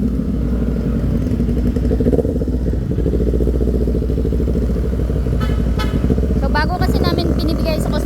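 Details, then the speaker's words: Kawasaki Z400 after backfire repair; it previously backfired when ridden hard. On the street test ride it pulls away with a smooth, even exhaust note, no pops or bangs as throttle changes. Backfire gone. "para ma-secure tayo bago namin inaano inaano muna namin ah o wala na nga wala na nga siyang backfire tine-testing muna namin"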